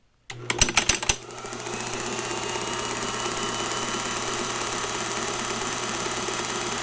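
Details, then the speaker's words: 4-cylinder tractor magneto spun on a test stand into spark gaps before installation: a few sharp impulse snaps, then fast, even spark ticking over a steady motor hum; producing good spark. "we'll get it spinning and you can hear the impulse and then you can see the spark it should it should quit impulsing after it reaches a certain rpm"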